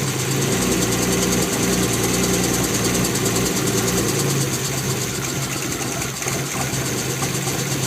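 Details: BMW E36 M3 with bad misfire: uneven rough idle with a lumpy, stumbling beat about twice a second and a hunting engine note.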